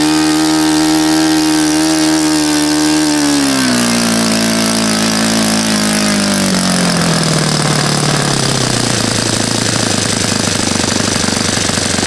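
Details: Saito FA-100 glow four-stroke after rebuild (new bearings, gasket set, tappets; exhaust tappet was mushroomed), APC 14x6 prop, Omega 10% fuel, OS F plug: loud, even bark drops smoothly in pitch as it throttles back and settles lower; healthy.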